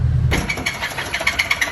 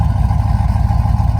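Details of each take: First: Chevy Tahoe V8 bought blown-up, before rebuild, after a prior partial AFM delete that reused the AFM lifters: it runs with a loose, uneven knock about three a second at idle; cylinder 1 piston sits 1/4 inch below the deck, owner suspects the cause. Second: Rebuilt Tahoe V8 with BTR V2 stage 2 cam, LS7 lifters, long tube headers, stock converter; deep idle with steady rhythmic lope in exhaust pulses, fairly choppy for a stock-converter-compatible cam; normal choppy cam idle, drives well.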